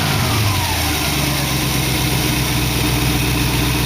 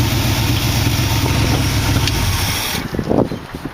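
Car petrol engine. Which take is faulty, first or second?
second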